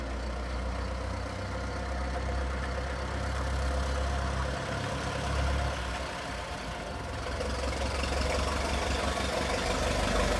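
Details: Restored 1921 American LaFrance fire engine (Licking County Fire Dept.), restoration finished, on a ride: deep, steady low rumble from a big petrol engine, even and unbroken with no knock or miss; healthy, smooth running.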